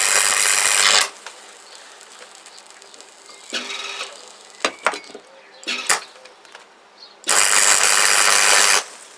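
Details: Repaired MIG welder on its first test weld after the wire feed worked again, wire speed turned down: bursts of steady, bacon-like crackling sizzle with quiet gaps between runs. A normal, stable arc.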